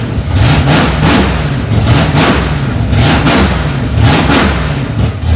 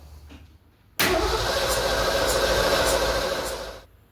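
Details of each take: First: 1965 Ford Mustang, freshly rebuilt 289 small-block V8 on its cold first start, mixture screws two turns out: after a few throttle blips it settles into a strong, steady fast idle with an even lope; normal. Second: 1965 Ford Mustang, freshly rebuilt 289 V8 first start: starter spins an even churn about three beats a second for three seconds, never catching; cranks but no start, fuel not yet reaching carburetor.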